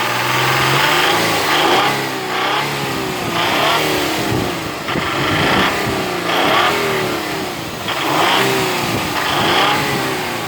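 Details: Nissan VQ35DE V6 revved up and dropped repeatedly: light metallic tapping from the top of the engine quickening with revs; top-end engine knock.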